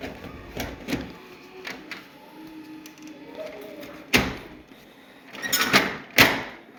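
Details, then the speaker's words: Kyocera printer/copier with paper jamming problem: irregular clacks and scraping bursts with faint whirr between as paper feeds and stalls; abnormal paper feed noise, cause not yet found. "şöyle saçma bir ses geliyor"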